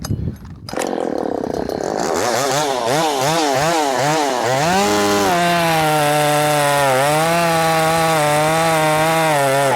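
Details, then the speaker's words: Ported Poulan Pro 4620 chainsaw with an 18-inch bar and cable throttle, carburetor adjusted from too lean to too rich: after starting, revs surge and wobble, then settle into a burbling run. "Had it way too lean. Now it's too rich. running out of fuel."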